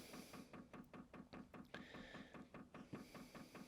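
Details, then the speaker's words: HCALORY Tool Box 2 8 kW diesel air heater with built-in 5 L tank: two buttons held for about 30 seconds to run the pump manually, giving even light ticking at roughly 2.5 per second; normal fuel pump priming. "Now you can hear the pump ticking now, and you want to hold that down for around about 30 seconds."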